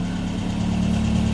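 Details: Ford Fiesta MK1 at idle after replacing alternator bearings that caused a chirp: steady even idle, smooth low hum, no squeal or chirp from alternator, charging about 13.6 V; normal idle.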